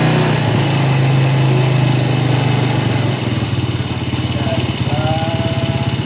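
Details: Yamaha Vega R motorcycle after carburetor service for a carburetor complaint, carb reinstalled: steady single-cylinder idle at about 3-4 pulses a second, no misses or stumbles; engine now normal idle.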